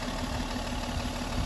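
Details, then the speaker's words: Mercedes M130/M127 mechanical fuel injection pump being adjusted, idling at about 700 rpm after leaning it out three more steps: low, uneven idle with irregular stumble, probably a lean misfire from too little fuel; won't rev with more air. "700 I can hear that it's misfiring so it's probably not getting enough fuel"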